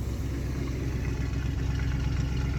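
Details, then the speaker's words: Free plow truck V8 running on all eight cylinders on its original ignition module; deep, steady, even rumble with no misses or knocks; normal idle. "she's on eight now so kind of reluctant to shut it off but we did come on hands dang that is what you call a runner ladies and gentlemen"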